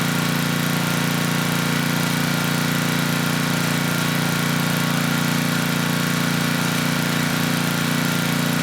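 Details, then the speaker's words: Tecumseh HM100 10hp engine on a Western Hemisphere 6,000 W generator, after oil top-up: even, steady low hum without surging, beat a bit slow. Engine speed low; governor spring adjustment pending carb and needle-and-seat cleaning. "Also, the engine speed was a little slow. So, there is an adjustment right here where we can increase the spring tension,"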